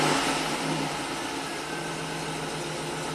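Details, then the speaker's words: 1990 Buick Regal GS V6 with severe low power, closed loop with block learn adjusting, rpm raised slightly: steady even hum with no misses or knocks; engine runs smoothly. "see the block learns catching up a little bit I'm going to raise the RPMs"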